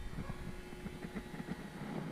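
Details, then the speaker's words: Old four-foot T12 fluorescent shop light: low, steady electrical hum with a faint fixed tone under low rumble and knocking, coming from one side of the ballast; fluorescent ballast hum. "I don't know if you can hear the ballast humming but crazy noise coming from that noise is coming from this side of the ballast"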